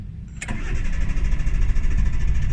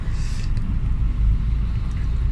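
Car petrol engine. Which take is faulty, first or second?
first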